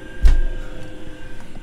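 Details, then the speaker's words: Chinese diesel air heater in a camper van, winding down at temperature (22 °C inside, −1 °C outside), heard near the pump under the van: sharp even ticks about every half second; normal dosing fuel pump ticking. "there's one downside and they tick a pump tick you can probably hear if i hold this down here you'll hear it ticking away"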